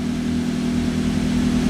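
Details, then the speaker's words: Toyota Avanza EFI engine after repair, diagnosed by scanner for unstable idle; idle was over 1200 rpm before, now lowered. Steady, even, low hum with no misses or surging; check-engine lamp off, car back to normal. "Nah, sekarang mesin sudah hidup, check engine-nya sudah mati, berarti mobil ini sudah normal kembali."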